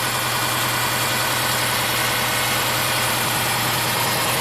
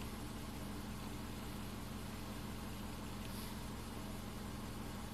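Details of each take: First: 2005 Subaru Forester 2.5L manual with a high idle, warm engine: with the EVAP purge hose off and the solenoid plugged back in, a loud hiss of air is sucked in and idle rises from about 1,200 to 1,300 rpm, a vacuum leak through the purge valve. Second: 2005 Subaru Forester 2.5 L manual, warm idle during high-idle diagnosis: quiet, steady low hum at 650 RPM, fuel trims perfect, no hunting or surging; normal idle.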